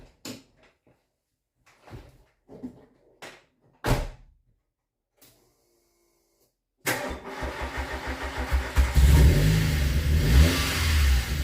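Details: VW Golf GTI Mk2 16v first start after about three years, still being tuned, not yet warm: after several cranking attempts it catches and idles with an occasional stumble; intermittent misfire that comes and goes.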